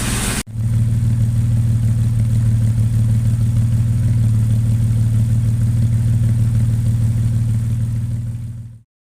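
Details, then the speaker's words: Jaguar 420 petrol engine idling after replacing a tappet bucket with a wider one to cure a tappet knock; steady even low rumble, no more tapping, runs well. "Runs well. Sounds good. No more tapping. Success."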